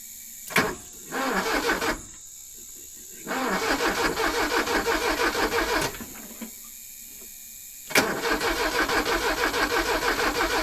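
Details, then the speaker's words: Porsche 924 Turbo abandoned 24 years, dead fuel pump relay jumped to get spark: starter churns about three turns a second in repeated bursts, almost tries but won't fire; crank no start. "Nothing. Nothing. But it kind of almost tried to."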